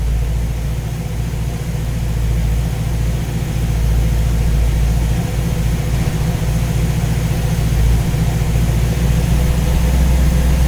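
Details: Engine with newly installed Ace's Killshot EFI and Blackjack distributor, timing set at 15°, idling while radiator is topped up with water; deep, even low rumble with no knocks or misses; judged to sound pretty good.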